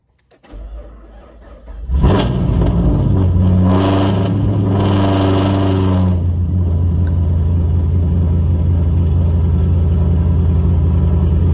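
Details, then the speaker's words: Pontiac G8 V8 engine with 15W-40 oil, cold start after sitting 2 days: brief crank, quick flare, then steady even low idle; oil pressure near 80 psi; after motor set back in following knocking; normal cold start. "But I'm about to cold start it with the 1540 so y'all can see the oil pressure. And this is cold start. It's been set in 2 days."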